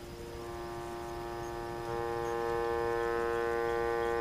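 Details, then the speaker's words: Vintage Crosley radio with permanent magnet speaker fitted, leftover electrodynamic speaker humbucking coil still beside the choke: steady low fixed-pitch buzzing hum; mains hum induced in the now-unneeded humbucking coil. "it's just a basically another method to produce hum as you can hear so when I reduce the hum here you"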